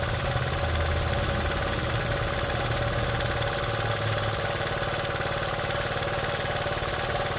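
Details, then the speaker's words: Honda Z50 with points ignition, new spark plug, carburetor fixed, chain off, idling after first start: even, steady single-cylinder putter with no misses or knocks; runs clean, normal idle. "so when I put this new one on here, boy, that thing runs good, huh?"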